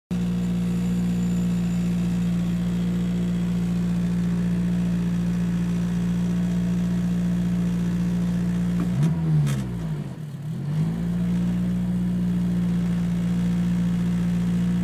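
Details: Acura RSX Type S loud idle noise; steady loud buzzing drone at idle with brief dip in engine speed, owner suspects rattle from something behind rear view mirror, not confirmed.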